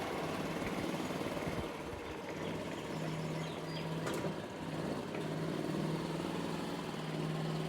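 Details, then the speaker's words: Gas golf cart after replacing blown exhaust gasket: steady low idle putter, birds in background, no puffing or ticking from exhaust; much quieter, sounds perfect. "finally we get start it and see how it sounds key on start so much Qui sounds perfect"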